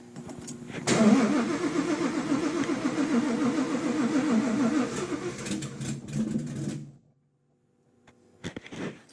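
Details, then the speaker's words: Fox-body Mustang with built cammed Coyote, ported Boss 302 heads and Whipple supercharger, first start after 3 years: catches, runs lumpy about 5 seconds, then cuts out, repeatedly. Owner suspects the fuel pump; fuel pressure unchecked. "it's really weird cuz it seems like it's running the same amount of time every time like it runs for like 5 seconds and then it doesn't run anymore"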